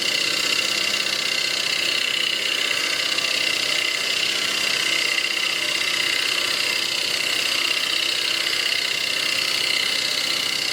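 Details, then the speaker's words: Wood lathe face turning a bowl blank with a bowl gouge; hissing cut that pulses about two and a half times a second as the gouge hits flats on a blank not yet round. "so i'm not quite right around yet you can hear that pumping is because i'm hitting flats so we're going to take another pass"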